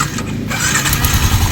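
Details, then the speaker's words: Motorcycle, after repair: engine settles into a steady, quiet idle with no ticking or clatter and strong oil circulation, once the worn, gouged cams, cam set and very loose cam bearing were replaced. "Tahimik na yung motor niya mga bossing. New sounds. Ah ayan wala na yung tunog na lagitikan."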